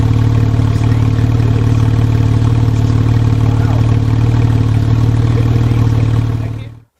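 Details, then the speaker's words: 996 Porsche 911 Carrera, manual, as bought: deep loud raspy drone at steady revs with harsh boom; exhaust has no mufflers fitted. "um it's just not it's not good it has no mufflers it's a little too wide"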